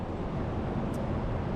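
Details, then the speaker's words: Tractor PTO after repair of grinding, non-engaging PTO (cover split, reassembled, clutch brake and supply lines reconnected): steady low rumble, PTO spinning smoothly with no grinding; back in service. "doesn't grind anymore. We got her. So, back in service."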